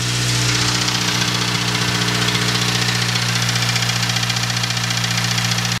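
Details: Honda K20A3 after valve adjustment, idling with a light even tick about four times a second matching engine RPM; source not found, owner suspects a manifold or exhaust gasket leak; car otherwise runs well.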